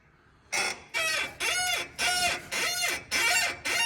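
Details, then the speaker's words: 2022 Ford F-150 with about 13,700 miles: sharp, high rubbery squeaks from the front end as the wheel is turned back and forth, traced to a dry upper ball joint with old grease. "the customer says that he hears a squeaky noise in the front end turn the wheel back and forth customer concern confirmed all right so pretty much visual observation trying to follow the sound sounds like it's this side sound like it's coming from that upper ball"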